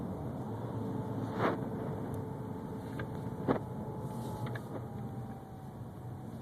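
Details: 2011 BMW 328xi: a thin, steady whine above the engine and road hum with a few knocks; source unclear.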